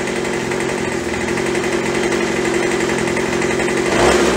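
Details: Craftsman (MTD) B2000 25cc two-stroke blower after carb clean, carb kit and trigger modification ("won't stay running" fixed), about 2700 rpm at idle; a high buzz that rises with throttle, then settles back to a clean, even idle; normal running.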